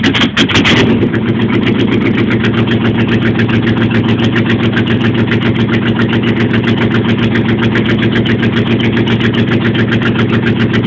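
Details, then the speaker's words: Wagoneer cold start: steady cold idle with a thin chirping squeak about four times a second over the engine; some drive belt dragging, which belt unknown. "Alright, well I got some kind of belt dragging on it. I can hear it squeaking, so we're done."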